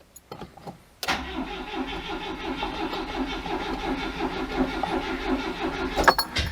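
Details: Oltcit with choke set, being started after an earlier non-start: long, slow uneven cranking, about three turns a second, churning over five seconds without catching; prolonged cranking, hard starting.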